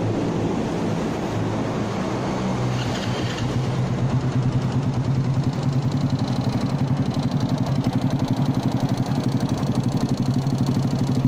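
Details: Single-cylinder motorcycle at idle: a loose, uneven metallic rattle over the low engine thump, suspected piston slap; engine rattle at idle, cause unconfirmed.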